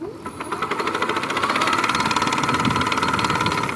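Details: Rapid, fairly regular knock at about four per second from the hub motor of an electric bicycle after 6000 km, wheel spinning unloaded; less audible under load. Persisted after disconnecting brake sensors, throttle and controller; cause suspected, not confirmed, motor to be disassembled.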